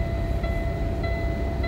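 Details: Cummins ISX truck at start-up showing high temperature, check engine and stop engine lights with no codes: evenly spaced short beeps about every 0.6 s over a steady diesel rumble; stop engine derate warning, owner suspects a computer issue.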